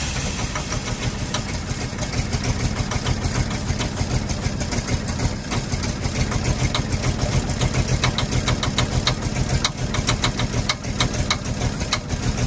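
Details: 1948 Ford F-5 ice truck, not run in 45 years, rough uneven idle after first start with sharp pop-tick about three a second; number six lifter believed catching on its spring and popping back, not a knock.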